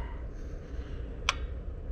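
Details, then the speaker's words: HVAC air handler with heat strips not working, after setting the DIP switch and connecting W2: single sharp click over a low steady hum as the second heat stage relay pulls in, current rising from 17 to 33 amps; staging now works normally. "second set of hit there they go now we're at 33 amps so that's all we had to do set our dip switch up there and hook our W2 up over there"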